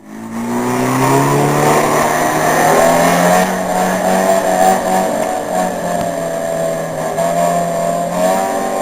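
Strong even roar that rises then settles, with a whistling tone that shifts pitch as revs change; a healthy two-stroke diesel running right.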